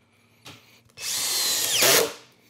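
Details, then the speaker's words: Hercules HC92K1 20V hammer drill on a depleted battery, clutch at 19, driving a screw: short even whir, pitch steady then easing as it seats; smooth normal drill operation. "this feels good I like this"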